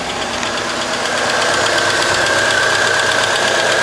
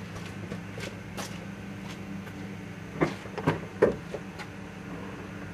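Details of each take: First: 2001 Chevy Cavalier 2.2L after starter motor replacement, which had spun without engaging the flywheel: it starts and holds a steady, even idle with a light belt whine and no misses or surging; the faulty starter was the problem. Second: 2001 Chevy Cavalier 2.2 L, key turned to start: faint steady electric whir with a few clunks but the crankshaft and drive belt don't move; starter motor spins but solenoid suspected not pushing the pinion out to engage the flywheel.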